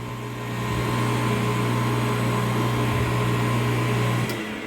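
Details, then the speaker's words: Half-HP peripheral water pump won't start on its own, runs only after jumper helps start: steady low electric hum; start capacitor failed, weak or collapsed with age, to be replaced with a new one to manufacturer spec. "Esto me quiere decir que esta bomba de agua tiene el capacitor dañado. Puede estar deficiente o ya haber colapsado con el paso del tiempo."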